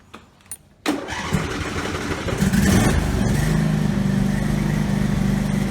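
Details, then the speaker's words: Husqvarna riding tractor that was racing out of control, restarted after refitting the governor shaft that had slipped on the governor arm. It catches quickly and holds a steady, controlled idle without surging, but the throttle does not respond. "Okay, so that's kind of a mixed result. The engine speed is under control. Throttle's not responding, but the engine So this is basically idle."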